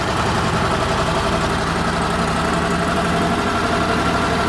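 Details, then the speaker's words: Argo small engine with carb problems, running on old fuel nearly out, restarted a few hours later: steady even low idle with constant beat, no misses or knocks, runs quite well: normal idle. "it's actually running quite well and actually there's not any gas left in it so that's good"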